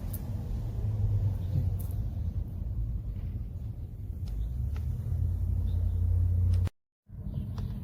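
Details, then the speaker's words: DIY propane-tank rocket-style wood stove about one minute into a fatwood-lit burn. A steady low rushing roar with no popping or pulsing as air is drawn through: the rocket effect starting, a healthy strong draft. "I don't know if you can hear it on camera or not, but it's already starting the rocket effect, which is the air being drawn through it"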